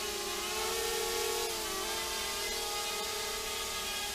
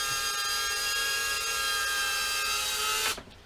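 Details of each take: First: Quadcopter in steady hover with a faint rapid warble in the motor buzz; P gain set slightly too high on pitch and roll, PID oscillation; owner plans to lower it. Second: First test flight of an FPV quad (RunCam Nano 2 fitted), likely on Betaflight 4.1: a clean, steady high whine that cuts off sharply when the motors stop. The motors are smooth and healthy.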